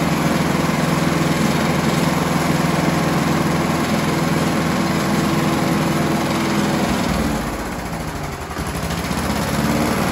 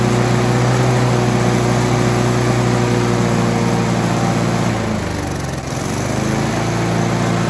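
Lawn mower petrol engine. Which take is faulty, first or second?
first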